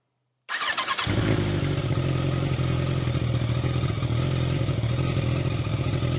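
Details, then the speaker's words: Kawasaki ZZR1100 after fitting new valve shims and adjusting the cam chain tensioner: it starts and settles into a smooth, steady low idle with no top-end ticking, unlike before; a normal idle. "now not a ticking sound not a tick in sight"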